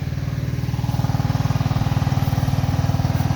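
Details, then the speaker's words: Cub Cadet Series 2000 mower, cold start after sitting eight months with a hard-starting history, now idling with an even, steady putter and no stumbles or knocks; normal smooth idle. "it idles pretty smooth"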